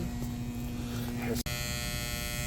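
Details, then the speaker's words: 2012 Carrier heat pump condenser, not cooling: loud steady electrical buzz coming in sharply; contactor buzzing suspected, then possibly a bad capacitor (45/5); loud buzzing. "the tenants are saying they're hearing some buzzing come from the unit sounds to me off RP like maybe a a buzzing sound come from the the contactor"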